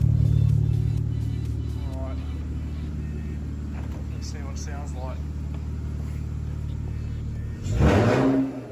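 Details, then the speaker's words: BMW E46 project drift car, freshly fitted replacement exhaust (dual tips, one muffler, old pipe tacked in place): deep, steady idle burble with a short rev, even and tight with no leak puffing; sounds better than the original exhaust. "Definitely sounds better than the other exhaust, that's for sure."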